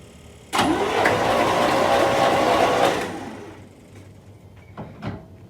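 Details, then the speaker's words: 1979 Corvette C3 L82 engine, sat 20 years, spark plugs out and ignition disconnected, cranked to pump transmission fluid out of the cylinders: starter spins the engine fast and even for about two seconds, no binding; turns freely. "So it's just gonna spin over and pump the transmission fluid out of the cylinders right now."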